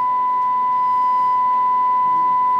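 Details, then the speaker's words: Amplifier load test with a pure steady tone around 1 kHz, no rasp or buzz, after earlier distortion from voltage sag; a clean wave measured at 39.6 and 44, then both channels adjusted to the edge of distortion and matched at about 43.2. "es una onda limpia entonces vamos a medirla"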